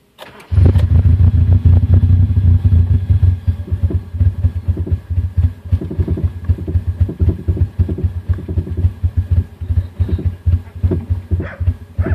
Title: 2000 Honda CR-V B20z Runs / Misfires / Stalls